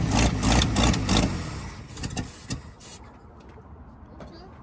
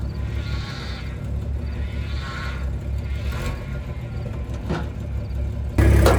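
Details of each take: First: Abandoned 1975 Dodge pickup, first start attempt with starter jumped by wire and an old smoking battery: rough uneven cranking in heavy bursts for about a second, then scattered clunks; starter sounds harsh and labouring. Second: 1975 Dodge pickup six-cylinder after a new, smaller replacement starter was fitted: even low idle thump at a steady beat, then a louder surge near the end; engine sounds smooth and healthy.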